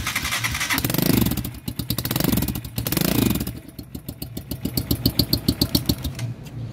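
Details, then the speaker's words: Italika-type dual-purpose single-cylinder motorcycle starts and revs with sharp hollow puffing chuff each firing; exhaust leaks smoke at the header joint. "este esta motocicleta tiene una fuga en el escape en esta pegada bueno vemos ahí cómo sale el humo del escape tiene una fuga y si encendemos la moto se hace un ruido muy raro"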